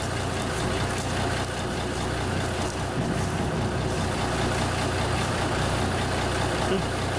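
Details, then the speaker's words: 1974 Kenworth W900A, NTA420 Cummins diesel, first start after sitting three years, on a battery taken from a pickup. An even, deep rumble holding steady idle and echoing inside a building, with no knocks or misses: a normal diesel idle. "so that's good sign sounds good inside a building oh it's going"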